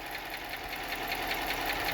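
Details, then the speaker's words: Hemi engine warmed up after a drive, fitted with cheap parts-store lifters: sharp, fast, even, prominent ticking above the idle, typical of poor-quality lifters; lifter tick. "It's pretty prominent. That's what cheap lifters sound like when you put them in a Hemi. If you buy the good ones, they don't sound like that."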